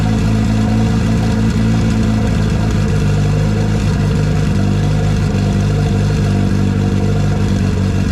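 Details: First run in a year after motor install with belt bottom end, new E85-compatible push-lock AN fuel lines and fresh coolant: strong steady idle swelling smoothly on throttle blips, no knocks or misses; sounds healthy.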